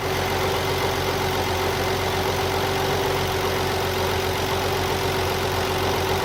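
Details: 1993 300ZX twin turbo, cold idle, new water pump, belts tight, no leaks: steady whine over a fast knocking rattle like a slipping belt; problem disappears once the engine reaches 189 degrees.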